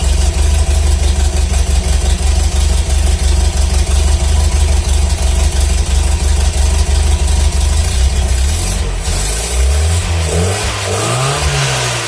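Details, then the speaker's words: 1978 Datsun 620 with an L20B engine and a newly installed Hot-Spark HS-HIT4 distributor, timing estimated: a steady idle of about 720–730 rpm, then a few clean revs that drop back smoothly; normal idle. "i did plug that in to get the kind of the rpm i got about a 720 730 rpm idle um but i'll kind of show you a little bit and fire it up and kind of let you all hear it run at least"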